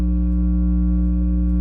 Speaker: This little thing here, just this change in buzz that you can hear from this particular circuit because this particular thing is interacting with it, can oftentimes be the kind of thing that you're just pulling your hair out trying to diagnose as far as an electrical problem.